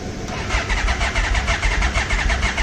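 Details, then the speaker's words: 1996 Yamaha Royal Star Tour Classic, 29,000 miles, reportedly sat about a year, started on jumper cables with a weak battery. The starter cranks in quick even pulses for three seconds without firing; owner suspects bad old fuel. "Come on, baby. Yeah, looks like we ain't got no good gas in here."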